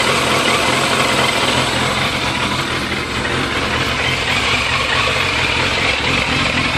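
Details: 2001 Yamaha FZS600 Fazer at idle: busy, uneven idle whose level sags briefly and recovers without throttle; rough, hunting idle, cause not yet found.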